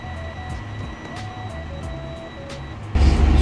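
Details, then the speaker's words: Semi truck after replacing the air pressure sensor that kept the parking brake light and buzzer on at 100 PSI: warning buzzer over the idling truck cuts out once air reaches 60 PSI; normal pressure build-up. "as you can see the the brake light is off as soon as I hit the 60 PSI so that's how it's supposed to be"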